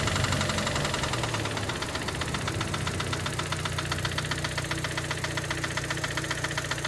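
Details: 2006 Audi A3 2.0 TFSI (8P): hard metallic marble-like knock, about four per second, from top/left of the engine, with shaking, intermittent power loss and check engine light; misfire cylinder 4 read, dealer suggests coils and plugs; owner fears lifters, chain tensioner or cam follower.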